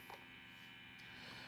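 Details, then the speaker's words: Home-built, digitally controlled analog overdrive pedal (ESP32, OLED, digital pots, isolated converter with separate grounds). A constant high whine over a low buzzy hum; disconnecting the 5 V digital circuit stops it, so digital noise is bleeding into the audio path. "now if I connect if I if I if I disconnect the the five volt circuit the noise will stop so is definitely the digital part that is doing this noise"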